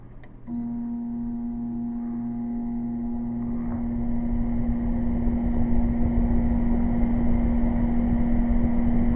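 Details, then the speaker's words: Air conditioner on high powered by solar through a modified sine wave inverter: steady low buzzing hum with a hard tonal edge while it runs fine; motor hum on modified sine wave inverter. "let's put that on high there you go and you can hear the buzz in the home [Music] but yes it's definitely working"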